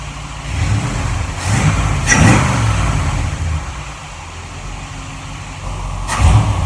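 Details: 1947 Ford Tudor street rod, freshly rebuilt zero-mile V8 with new 9.5:1 pistons and Holley carb: whistle cured, traced to the carb base; stuck-open secondaries freed; deep even burble swelling with each throttle blip and settling back, sounds like a normal Holley.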